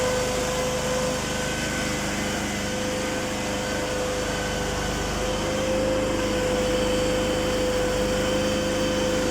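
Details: PRAMAC petrol generator in for repair after a no-start complaint, now started and charging its own battery: a steady, even engine drone with a constant mid-pitched hum and no misses or knocks.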